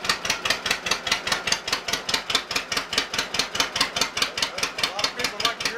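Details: Cold startup of an old Case RC or John Deere 50 tractor (the John Deere reportedly runs better warm) idling with regular chuffing pulses about two and a half per second and a crisp top end; normal slow idle.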